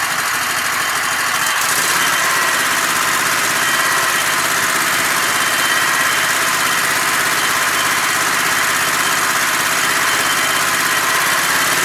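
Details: Sears Craftsman Kohler Commander mower engine after the no-spark fix of reconnecting the spark module's red wire, run with the air cleaner off. A steady, even note holds one speed with a bright, busy top end and no misses; normal running.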